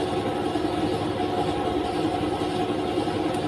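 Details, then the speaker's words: Honda Beat Pop scooter: steady low idle at 1500 rpm, engine temperature 70 °C, even beat with no stumbles or dips; running normally. "Nah ini normal nih 1500 suhunya sudah ketemu 70 derajat tuh nah ini normal"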